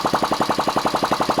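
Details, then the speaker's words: Ariel Pixie motorcycle single, about 4hp, run with no exhaust pipe fitted, tickover just set slightly fast: quick even open-pipe beat with light valve gear rattle; healthy running. "Probably a little bit fast now, but all in all seems to be alright. You can hear the rattle of the valve"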